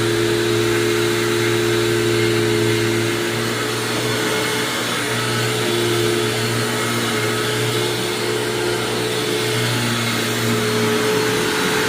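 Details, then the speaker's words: 1999 Hoover WindTunnel self-propelled upright vacuum, model U6425-900, sitting in running position; constant motor drone with rough gritty grind and wavering tone, which stops when lifted and set down again; cause unknown. "it just makes that weird grinding noise you just heard but it doesn't do that when you lift it up and then put it down like it is now"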